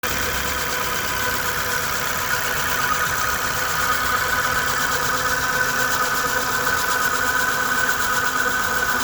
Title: More Dart Engine Whining Noises 1